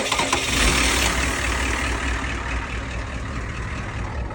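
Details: Ford 6.9 diesel truck that wouldn't start due to a broken wire, started by bypassing it under the truck: brief crank, then even diesel clatter at idle; starting and running normally.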